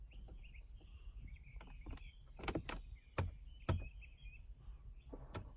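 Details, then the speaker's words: 2016 GMC Terrain, 28,000 miles, no heat, only cold air; in quiet cabin after controls reinstalled, blend door actuator whirs and clicks in irregular spurts then stops, moving only intermittently; still no heat, owner suspects actuator needs replacing. "moved and stopped moved back dang still nothing dang maybe I need a new one"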